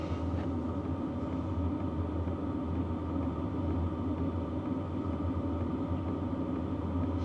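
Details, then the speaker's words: BougeRV portable diesel heater on lowest setting, measured about 56 dB, quiet for a diesel heater; low steady hum, soft even drone, no rattles or surges; running smoothly. "About 56 dB. That is pretty quiet for a diesel heater."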